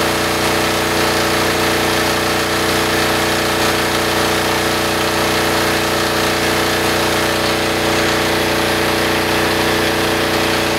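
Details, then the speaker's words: Military diesel generator after removing the exhaust spark arrestor that caused heavy back pressure and bogging: steady even drone with no bogging or crackle, slightly louder through the muffler. Normal running. "now I know it's way louder well not a lot louder because it still is a muffler well it's definitely a little louder without the spark arrestor but man that made a huge difference"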